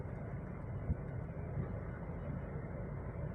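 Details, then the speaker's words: Older VW Beetle at idle with AC on: quiet idle that wavers and surges irregularly, cannot hold rpm, shakes in D, feels like not firing on all cylinders; mechanic suspects spark plugs or injectors. "เจออาการรถรอบสวิงนะฮะนี่ครับเห็นมั้ยฮะรอบสั่นครับกระพือครับสวิงครับเห็นมยฮะคุมรอบไม่อยู่ครับ"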